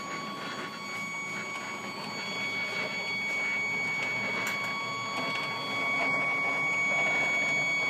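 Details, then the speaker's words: Stepcraft 840 CNC, new machine during setup, axis homing: a steady high stepper whine with a rough, gritty grind about twice a second as the gantry homes; something binds in the motion, owner says it has issues. "man I haven't had CNC machines before but I'm pretty sure they're not supposed to sound like [Music] that"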